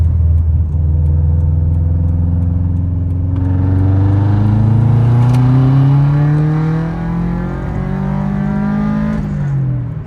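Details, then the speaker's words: Modified Subaru after new OEM STI coil packs and colder plugs, third-gear full-throttle logging pull from about 2500 to 6000 rpm: strong, even climbing note without ticking; boost holds 19–19.5 psi target, no feedback knock, AFRs good; healthy acceleration. "pretty good pretty good that felt really good actually it was smooth it it didn't it only hit about 19 PSI 19 and a half which is our Target amount of the Boost which is awesome"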